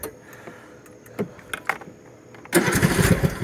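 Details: Husqvarna R120S articulating all-wheel-drive riding mower, possibly 20 hp, had been sitting, choke on, battery charging: a few cranking clicks, then the single fires and settles into a steady even chug; a normal start and idle.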